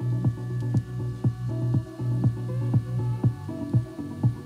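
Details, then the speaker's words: Panasonic RQ-V520 personal radio cassette player, around 35–40 years old, playing in the forward direction with the head already cleaned: music sounds dull and bass-heavy with no treble because the head is worn on the forward side, not because of azimuth or dirt. "is all is not because of the caption is not because of the cleaning of the head or whatsoever is just because the head is deteriorated and the forward position had vanished the edges and fine details of the edges"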